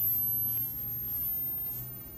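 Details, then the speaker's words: 1981 NEC JB-1201M monochrome green composite monitor, just after replacing a transistor with a 2SC3203: at power-on a thin, steady, very high-pitched flyback squeal over a faint hum. Normal operation. "here we go three two one i heard it i can hear it squealing"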